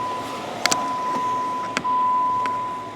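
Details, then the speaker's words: 2014 Jeep Wrangler Unlimited Sahara brake pedal worked with engine running after spraying: quiet with a few soft clicks, former squeak gone. "but as you can tell now, we have no noise and it works smoother."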